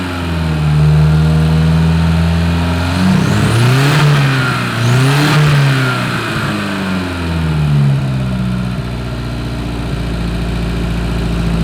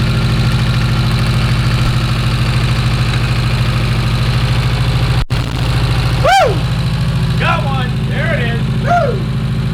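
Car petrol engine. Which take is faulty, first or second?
second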